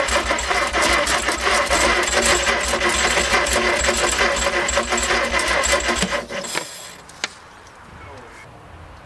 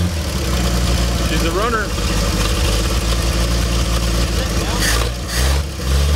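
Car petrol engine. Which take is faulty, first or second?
first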